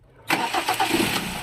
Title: Hyundai Tucson Engine Cranking but wont start- Step by Step Diagnosing